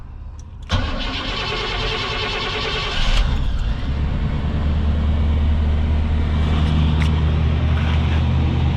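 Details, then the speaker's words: 1989 Chevrolet Suburban 1500 2wd V8, ice-cold start after sitting: short crank, fires promptly, settles into steady even cold idle with smooth low rumble, tiny bit of smoke; normal cold start. "Tiny bit of smoke you can kind of see there. Not much. Really quite minor. That's a cold start."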